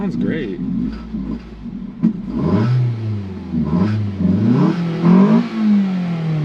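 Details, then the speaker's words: Flood-damaged 2012 Ford Focus from Hurricane Helene, first run after months, water out of the exhaust: revs rise and sag every second, never holding idle; owner suspects the throttle body, and codes point to the throttle pedal position sensor. "yeah so it doesn't want to stay idling but it's the engine sounds pretty healthy um I'm wondering if maybe the throttle body is bad um it does rev up but I don't think it opens up enough to idle or something like that"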